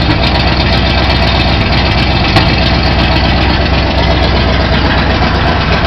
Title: Big Block Chevy Clutch noise 040